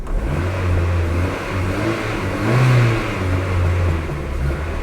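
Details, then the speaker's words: Renault Twingo after replacing engine mounts, handbrake on, in gear with throttle applied: engine revs and settles with a steady low drone, far less vibration and shaking than before; new mounts holding well. "non si muove quasi più lì sentiamo che c'è molto molto meno vibrazioni è molto meglio di prima"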